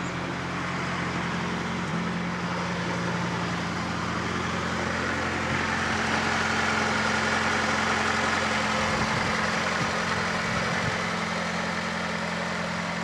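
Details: Fiat Panda 4x4 Sisley fuel-injected, started in freezing weather about minus two °C; steady even idle, no misses, knocks or hunting; normal healthy cold idle.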